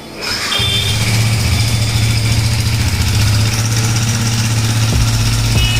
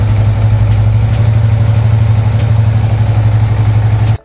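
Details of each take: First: Yamaha MT-15 with an engine oil circulation problem: the single-cylinder starts and settles into a rough, low drone with irregular mechanical clatter. Engine noise from oil starvation of the cylinder head. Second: Yamaha MT-15 after an engine noise/oil circulation repair and scanner fault clearing: steady, even thump of about four beats a second with no ticking or rattle; clean, healthy idle, as good as new.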